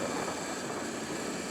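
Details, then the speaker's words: Sur Ron electric bike riding after jackshaft bearing replacement (about 5,000 miles on old bearings): smooth, even whir under wind and road noise, no grinding or clicking; earlier clanking gone, drivetrain healthy. "it rides very smooth now very smooth wow"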